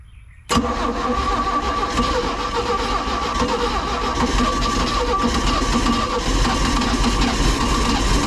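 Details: 1991 Four Winns OMC 4.3L boat engine running on the hose; it catches at once and idles steadily and evenly with no misses or knocks. Oil pressure is great and the alternator is working.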